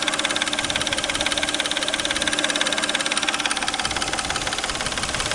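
Steady idle with a regular tapping knock near three beats per second; something at the timing belt end is knocking.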